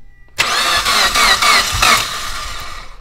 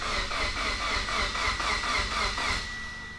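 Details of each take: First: 2008–2015 Mitsubishi Evo X with freshly rebuilt engine, first start attempts: quick cranking pulses about four a second, brief catch that dies; finally started after about five tries holding the gas pedal to the floor. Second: Mitsubishi Evo X with a rebuilt engine (new pistons, rods, bearings), cranking with the crank position sensor unplugged. Even cranking at about four pulses a second, with each compression stroke pushing back equally; compression sounds good.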